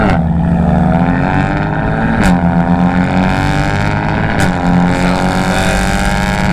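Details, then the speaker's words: BMW F80 M3 with equal-length midpipe and catless downpipes: a loud, steady low buzzing drone under light cruise, with resonance from about 2K to 4K rpm. Exhaust drone later cured by switching to a single midpipe. "I was getting a resonance or like a buzzing noise around 2K RPM and it drove me crazy I drove like that for almost a year"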